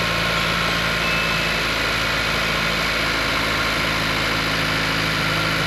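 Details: 2016-2021 Honda Civic Si (10th gen, L15B7 turbo) after fuel injector replacement with revised injector kit, first start after leak check: steady, even idle with smooth low hum, no misses, knocks or ticks.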